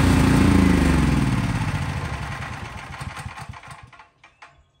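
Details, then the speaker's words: Craftsman 5000 W generator, bought around fall 2021, running outdoors when its fuel shutoff is closed: steady beat sags, firing thuds slow and fade over a few seconds until it quits; normal fuel-starved run-down. "So as I was saying, as the generator was running, I cut the fuel."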